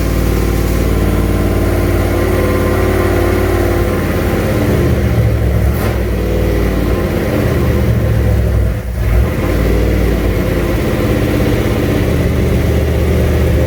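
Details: Junkyard 351W turbo V8 in a 1967 Mustang at first start, new headers and wastegate, fender-exit exhaust; deep loud lumpy running with a brief dip midway and uneven idle; needs a tune, cause not confirmed.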